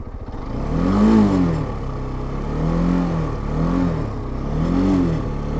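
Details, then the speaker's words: NH190 motorcycle, parked, revved in short bursts: light loose rattle from the front over the engine note; owner believes it is not the engine, suspects loose or missing bolts underneath from vibration, not confirmed. "parece ser o barulho de alguma coisa solta aqui na frente eu acredito que não seja nada no motor"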